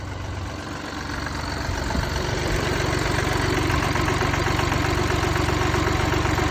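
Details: Mini Cooper D three-cylinder diesel starts and settles into idle with a steady rhythmic rattle and knock underneath: worn dual mass flywheel, which holds the clutch springs, causing juddering after clutch lift.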